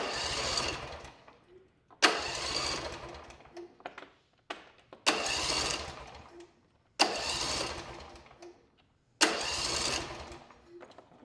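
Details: John Deere S140 lawn tractor with a Briggs and Stratton twin-cylinder engine, test crank after reinstalling the starter and battery negative: five sharp crank bursts about two seconds apart, starter spinning freely and engaging cleanly without grinding. Starter working normally.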